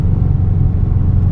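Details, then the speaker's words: A Subaru 2.5RS with a swapped-in stock EJ205 turbo flat-four, clutch still being broken in, runs under light load with a deep, steady, even rumble and no knocks or rattles. Turbo spool is audible; it sounds healthy. "and also it sounds sounds really good"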